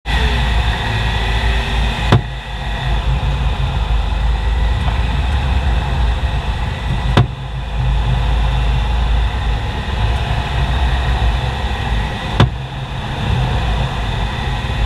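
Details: BMW X5 E70 while turning: sharp single front-end knocks about every five seconds over a low drive rumble; two garages advised replacing the front active sway (roll) bar after a long investigation; the cause is not confirmed.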